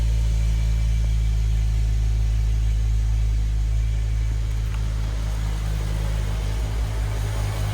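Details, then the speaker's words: BMW E60 M5 V10 after rod bearing replacement, restarted with the belt off so the power steering pump is not driven: deep, steady idle with even low pulses and no bottom-end knock; bottom end likely fixed. "Sounds good. Took that belt off, so it's not spinning the power steering. Sounds pretty smooth. I think that we may have fixed the bottom end."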